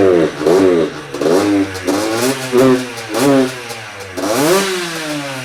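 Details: Freshly built Yamaha YZ85 two-stroke with new crank, still breaking in, coolant circulating: crisp throttle blips return cleanly to steady idle, no knock or rattle; normal running.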